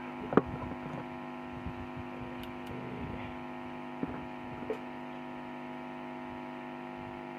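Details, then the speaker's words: SKG microphone amplifier after replacing blown amplifier-stage fuses: finger-touch input test gives a steady low mains hum with a few faint clicks through the speaker, showing the amplifier stage passes signal normally. "ใช้วิชาการแตะก่อนนะครับเห็นนิ้วแตกก่อนนะครับยังไม่ป้อนเสียงเพลงเข้าไปนะครับเดี๋ยวใช้นิ้วแตะดูก่อน"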